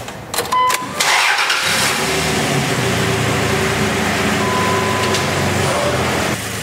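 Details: 2001 Dodge Dakota 3.9 L V6 started with the belt off to verify a bad idler pulley bearing: brief start, then even, steady idle with no chirp, whine or tapping; normal engine running, noise gone.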